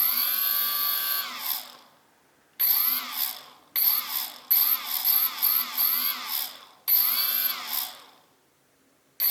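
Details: CX-20 drone, one stock brushless motor: repeated spin-ups each ending in a warbling, falling chirp as it coasts to a stop; strange noise on spin-down, cause unknown.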